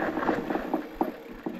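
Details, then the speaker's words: Hope Evo GR4 bike disc brakes with Racing pads, brake feathered lightly: light irregular clacks and scrapes; rider says pads slip on the disc, which regularly happens with Racing pads. "Un petit dribble, on sent que les plaquettes elles glissent un peu quand on lèche le frein sur le disque et ça fait ce petit bruit là, clac, clac, enfin je sais pas comment dire, ça, on entend un peu là, ça gratte quoi."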